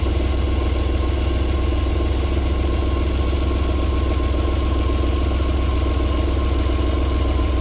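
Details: 1994 Alfa Romeo 3.0 24v QV engine at cold start-up, smooth even idle with a steady low hum and no knock or tapping yet; a normal idle before the knocking returns after about 4 minutes.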